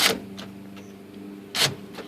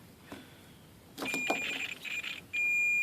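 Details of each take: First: 1998 Jeep Cherokee XJ rear hatch power door lock after splicing a repaired pink wire: two crisp, snappy solenoid clacks about 1.5 s apart, lock then unlock; the actuator now works properly. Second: 1998 Jeep Cherokee XJ rear hatch power lock harness, continuity test on black-pink wire while wiggling: meter tone stutters and crackles in broken bursts, then holds; broken wire inside harness, fixed by running new wire.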